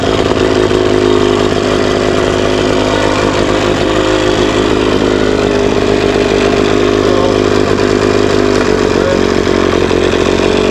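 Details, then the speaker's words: Johnson/Evinrude two-stroke outboard after enrichment knob turned half a turn left, warming up: steady fairly fast buzz with even pitch; idle slightly high, backed down an eighth to quarter turn at the screw. "Idle's maybe a little bit high. I can back it down here. Idle's slightly high."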